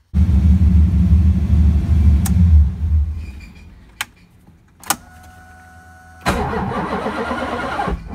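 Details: LSX engine hot restart after months of hot-start trouble that once left the starter barely turning: starter turns over briefly with some effort, then catches and settles to a steady idle; normal hot start now.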